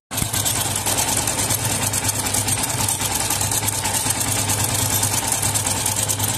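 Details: Yamaha FZS V3 at idle, cover open: dense fast metallic rattle over the idle, no knock pattern; tappet play OK, not throttle noise, loose timing chain, tensioner tightening only partly helps; chain replaced.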